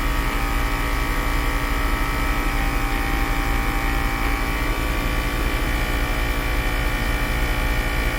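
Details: 2010 Mercedes-Benz GL450 air suspension compressor, newer OEM-boxed unit, raising front and rear after passenger-side airbag/valve body problem: steady fast pumping hum with quick regular chug, a tiny bit loud but pumping really fast; normal operation.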